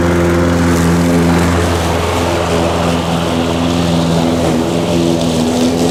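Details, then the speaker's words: Harbor Freight 173cc single-cylinder mower engine, oil changed 2-3 weeks ago: steady even putter at low throttle, no misses or knocks; brief startup oil burn blamed on tipping in transport; running healthy. "I really like this engine. I haven't had any issues with it."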